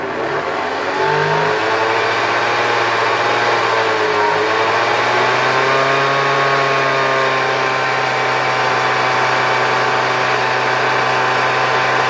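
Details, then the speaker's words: 1972 Hoover 1346A vacuum cleaner, reassembled: a loud, whining rotor spins up then settles, and it blows strongly. The owner suspects the motor lightly hits the housing at its mount and thinks sponge damping might have helped. "Jest bardzo głośno , wirnik tutaj pracuje bardzo głośno . No cóż, nie możemy nic z tym zrobić."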